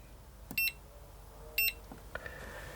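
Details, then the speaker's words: External charger set to about 4 amps: two short, bright double-chirp beeps about a second apart, then silence; battery check passed and it's charging normally. "checking battery and it's charging so that's how i charge this one"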